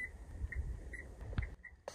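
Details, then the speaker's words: Car with dead battery while camping, power liftgate won't open and engine won't crank: thin high warning beep about twice a second from trunk area over quiet background; cause unclear. "my car is making this insanely annoying beeping sound I don't know why it seems to be coming from the trunk area here"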